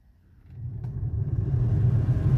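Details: Volvo XC60 heater blower, previously spinning too slowly at high setting, tested engine off with control module removed: spins up within two seconds to a strong, steady rush of air, no rubbing or ticking; normal full-speed operation.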